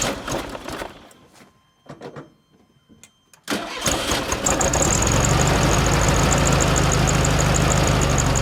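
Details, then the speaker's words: VW Super Beetle after long storage, fresh gas, oil and new battery: stumbling cranking and a few catches, then it fires and settles into a fairly even idle with a puff of blue smoke; low compression suspected. "i sputtered just a little bit so it's got some fuel in the car from when i was pumping it over let's do this thing"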